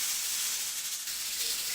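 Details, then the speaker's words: Pressure cooker cooking dal, up to pressure after about 5–10 minutes: steady loud steam hiss with fast fine jiggling rattle of the weight as steam escapes and it whistles; normal operation at full pressure. "you'll know when it's up to pressures it will start to whistle so now the pressure cooker is a progression as you can see steam is starting to escape"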